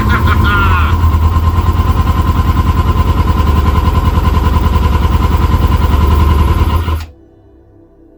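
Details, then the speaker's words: Kawasaki ZX-6R after 10 years sitting, fuel pump reconnected, fuel in the filter, on choke. A steady, rapid starter churn for about seven seconds never catches, then stops. Owner suspects flooding; fuel is coming out of an unconnected line. "Might have flooded it."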